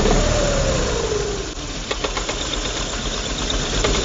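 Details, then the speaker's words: Yamaha Zuma 125 scooter idling with CVT cover off: uneven slapping clatter, about four slaps a second, top and bottom of a worn, stretched V-belt; caused vibration and rough acceleration from idle; genuine Yamaha belt ordered as the fix. "I'm getting some [Music] slapping some slapping here on the bottom and on the top so we're getting some slapping this is what we refer to this is what people refer to as uh belt slapping"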